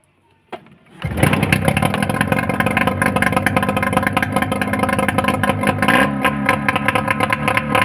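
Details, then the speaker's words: Yamaha 15 hp outboard with the rough-sound complaint. It catches and settles into a quick, even beat, and the earlier tick is gone, so the powerhead is fine and the fault is in the lower unit. "lagi itu dia bunyi tik tadi sudah sama sekali hilang berarti di bagian mesin ini aman"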